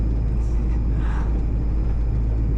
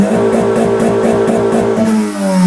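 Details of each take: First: Modified Honda Civic while driving: low drone with stumble and popping as throttle opens, misfire on pressing accelerator and some power drop; ignition coil fault suspected. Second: Honda Civic (modified) after ignition coil replacement, full throttle to rev limiter: engine holds high revs with a steady buzzing drone and cuts off cleanly at the limit, without the earlier laggy stuttering cut-off.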